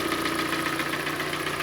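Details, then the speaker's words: 2014 Hyundai ix35 G4NA 2.0 petrol, automatic, front-drive, 102,000 km, idling: steady rapid metallic clatter from piston slap due to scuffed cylinders, reportedly after hard driving. "шака бряканье чавка кто Как это называет стук дизеление и так далее"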